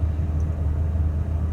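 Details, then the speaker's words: 2000 Ford F450 that had a crank no-start, just after replacing the bad fuel pump: starts and runs with a deep, steady rumble, no stumbling or surging. "let's see if it'll start almost there we go that was the fuel pump"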